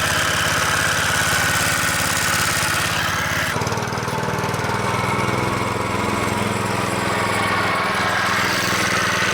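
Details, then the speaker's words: Vintage 2 hp Briggs and Stratton single-cylinder engine on a Montgomery Ward lawn edger, run after sitting 2 years in storage: steady even unbroken putter, no misses or knocks; normal running. "Now that's a Briggs and Stratton for you. As you can see, this little 2 horsepower engine is just badass. Runs perfect."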